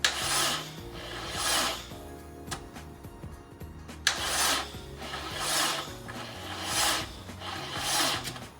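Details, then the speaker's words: Honda Integra DC2, first crank since 2017: starter drags the engine very slowly, one harsh raspy push a second, dry, no firing; owner suspects weak battery or, more likely, weak connections. "so that could be a few things that could be the battery being weak or it could be our connections being weak I'm gonna guess it's our connections being weak"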